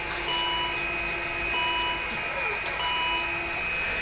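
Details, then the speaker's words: 2012 Volvo XC60 electronic park brake, driven by iCarsoft scan tool before rear pad change: thin electric whirr, high tones shifting in short steps, starting and stopping as the rear caliper motor runs a park-and-release sequence. "Sounds like it's running through a park and release sequence."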